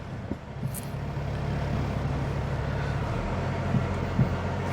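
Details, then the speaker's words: Renault turbo car driving at crawling speed after a sticking part was cleaned and greased: a couple of dull thuds from the rear over low road rumble. The knock is not fully gone; an anti-roll bar link is suspected. "Oh no, I can still hear something knocking at the back."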